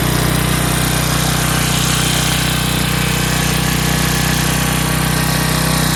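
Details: 11 hp Briggs & Stratton flathead swapped into a riding hauler, magneto kill bypassed; loud, fast, even buzzing held at one high speed, revving too high, not reliable sounding; governor not adjusted.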